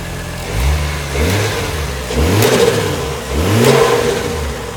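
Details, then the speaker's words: Toyota Chaser, automatic, with 1J engine, fairly stock with a possible old boost controller; repeated clean blips from idle rising and falling smoothly, no knocks or rattles. Seems healthy, solid engine; healthy free revving. "I mean, it seems healthy. And I mean these engines are pretty solid anyway"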